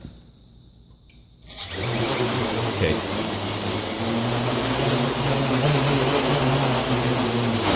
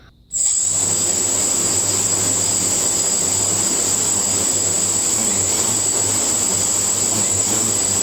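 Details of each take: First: Quadcopter on INAV PID tuning stand, pitch P gain exaggerated to 25: high motor whine with a lower buzz wobbling about three times a second while hovering, oscillation from P set too high. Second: Quadcopter on INAV PID tuning stand after lowering P gain to about 9: steady even high-pitched motor whine with no surging; motors no longer overcorrect, stable hover.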